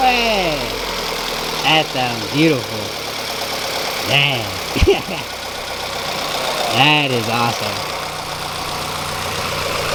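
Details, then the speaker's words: Rebuilt B18C5 Type-R swapped 2000 Integra GS-R, warming up after first start: a few quick rev blips rise crisply and drop straight back to a steady idle, clean and even; healthy four-cylinder. "guys hear that action that's that four-banger action you guys I think sounds beautiful"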